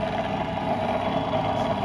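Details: Old Soviet bench grinder motor after reconnecting the capacitor wires, replacing the grinding stones and fitting a 10 µF run capacitor with rotation reversed: a smooth, steady hum with no knocks or rubbing while grinding a knife; normal running.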